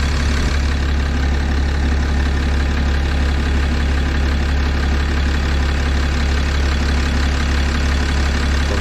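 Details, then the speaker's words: 6.7 Cummins with factory injectors at 859,000 miles, idling during cylinder cutout tests; heavy diesel idle with regular knock about 150 a minute, suspected bad injectors, not confirmed. "I hear some knocking in there let's try the fuel system run up test"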